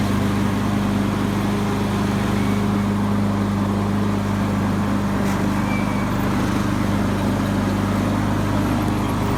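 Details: Craftsman YS4500 lawn tractor, 20hp Briggs & Stratton Intek OHV engine, after replacing a head gasket that failed beside the pushrod chamber and a tune-up with new oil, oil filter and fuel filter. It holds a steady, even low drone with no misses or knocking; the oil burning appears fixed.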